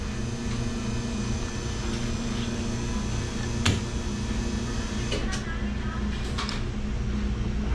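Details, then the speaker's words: R290 cooler set to 35 degrees, temp sensor reading 57 degrees: compressor starts with an even low hum, no clicking or labouring, waiting on evaporator fans; normal compressor running. "Compressor's on, 57 degrees. So we're just gotta wait for the little fan to kick on for the evaporator fans"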